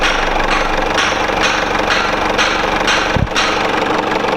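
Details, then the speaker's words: Mercedes-Benz E-Class W210 220 CDI diesel after replacing the failed crankshaft sensor with a new Bosch one: steady, even idle clatter with no misses; the crank sensor waveform looks perfect. "So the new sensor is installed, and this is the waveform once again. It looks perfect."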